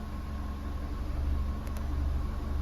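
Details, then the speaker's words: 6th-generation Holden Barina EcoTec engine after replacing the intake VVT solenoid: low, even idle hum with no stumbles, briefly hunting rpm on startup; zero misfire counts on all four cylinders. Normal idle. "so there you go folks as you saw it hunted a little bit on the RPM on Startup but there was no misfire at all"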